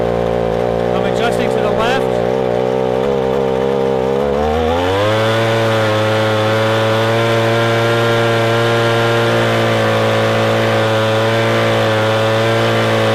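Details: Echo ES-250 leaf blower (same engine as PB-250), carburetor screw turned left while running wide open. It climbs from a rough note to a steady, clean high scream, showing the bog is fixed with strong full-throttle running.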